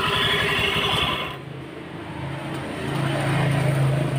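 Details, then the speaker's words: Honda Beat scooter idling with a rough, steady rattle deep in the engine, about four beats a second, persisting with the CVT removed so not belt side; worn bearing, crankshaft or camshaft bearing suspected. "kita bongkar mesin untuk mencari suara berisiknya itu dari apa suara berisikan macam-macam suara berisik itu seperti ini ini suara berisiknya sumbernya dari bearing"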